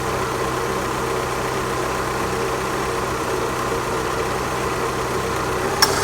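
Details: Opel Astra G after replacing the faulty A/C compressor clutch: steady, even idle with belt and A/C compressor now engaged and running smoothly, one click near the end; everything sounds healthy.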